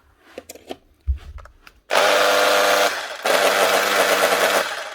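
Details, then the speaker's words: Makita HR2611F SDS drill burnt out boring 16mm holes in reinforced concrete: runs in rough, harsh bursts with strained buzzing instead of clean spin; burnt armature, needs replacement (fixed with HR2610 parts). "you can hear it cooking. Motor's gone it. So need a new armature for this here."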